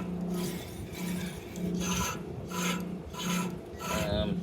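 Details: 1970 Dodge Monaco, nearly new replacement alternator (about a year old) sitting crooked and unloading belts, shaft turned by hand: rough, gritty, crunchy rasping each turn: worn alternator bearing.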